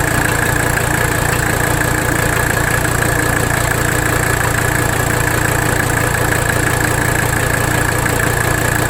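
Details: 1985 Mercedes 300D diesel at idle, engine loaded while bottoming the nut and adjusting idle during rack damper bolt adjustment; steady clatter with uneven pulse about two a second that never settles — rough idle not fixed by it, cause unknown.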